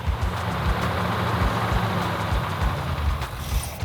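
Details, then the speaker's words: Restored 1970 Plymouth 'Cuda V8 freshly started: lumpy idle with a soft, uneven tapping about three per second, quieter than before; lifters or pushrods settling, valvetrain tick. "I don't know if it was a lifter or Pusher outer combination of both of them that were making all the noise that has quieted down quite a bit definitely is running better"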